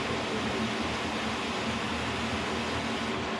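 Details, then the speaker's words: K&T milling machine run for the first time after flushing the oil system with kerosene and refilling with oil: spindle in its fastest gear, 1,500 RPM. Steady, even whir with constant gear hum, no knocks, rattles or rising pitch. Normal, smooth spindle at top speed. "And the fastest gear, and that's 1,500 RPM. Feels good. I'm happy about that."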